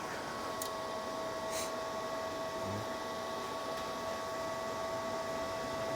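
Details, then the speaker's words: Everlast Cyclone 200ES inverter MIG welder, first power-on, gas off. Soft, steady whir with a constant tone and no rattle or wobble from the cooling fan. Normal, quiet fan. "All right. Fan's pretty quiet. That's nice."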